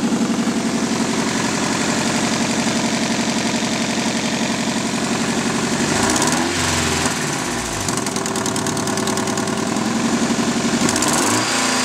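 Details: Nissan 240SX KA24DE idling with a rapid, sharp ticking-popping that follows engine speed: an exhaust manifold leak from a broken exhaust manifold bolt, since fixed.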